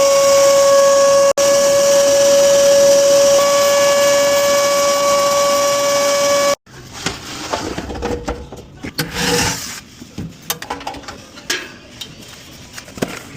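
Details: Commercial refrigerator not cooling and making loud noise: a loud, steady high-pitched squeal with hiss from a failed condenser cooling fan motor, diagnosed and replaced to restore cooling.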